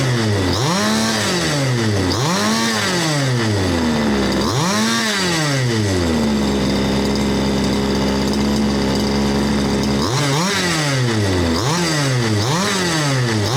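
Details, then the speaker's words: Baja 1/5-scale RC two-stroke engine, second of seven from Australia, repaired without full rebuild, age unknown: blips up cleanly with a whap, falls back and settles into an even, steady tick-over; runs smooth and very nicely, normal idle and revving. "So it runs very smooth. You can hear the thing ticking over, tick, tick, tick, tick, tick. You rev it up, whap, tick, tick, tick, tick. It just ticks over."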